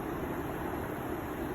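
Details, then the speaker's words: Bosch variable-speed heat pump outdoor unit running on a Nest thermostat: soft, even fan rush with low hum, no knocks or rattles; variable fan just dropped to reduced speed, running smoothly and quietly. "I can hear it going inside here normally you would hear this thing going like crazy our old train system but there you go there it's running that's proven see the variable fan just dropped down some"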